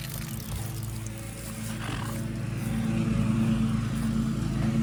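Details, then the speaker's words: Shallow-well water pump restarted after six months idle, valve nearly closed then opened slightly: steady low drone with a rough, uneven churn building slowly as air tries to come out; pump drawing air while priming, later reaching about 30 psi. "I'll turn it on see if we start getting pressure I'm going to open the valve up a little [Music] bit hear the air trying to come out"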